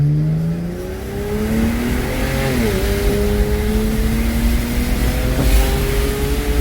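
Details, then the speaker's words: BMW 335i (N54) after boost leak repair, feeling responsive: engine pulls cleanly through the revs, one quick shift, climbs again smoothly with no hiss or stumble; normal acceleration under boost. "Car feel real good, though. You're gonna get into the truth, but we don't have cars, boy. But this is an 8. This car feel real responsive."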